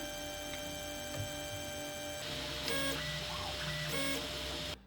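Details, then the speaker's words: Wanhao D12/230 3D printer while printing: two short buzzy pitched whirs as the extruder stepper retracts, noisy against otherwise quiet TMC2209-driven X/Y axes and fans, over soft music. "on entend tous les mouvements de rétraction de l'ex trader ce qui gâche un peu le silence de la machine"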